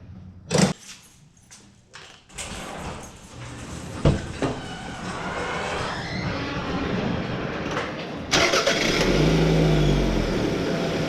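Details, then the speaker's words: 1999 Toyota Camry after air intake tube replacement: handling clatter, then engine starts and settles into a steady idle with no intake hiss, confirming the earlier vacuum leak is gone. "well definitely I do not hear that uh hissing sound here from the intake that I heard before so definitely doesn't have that vacuum leak"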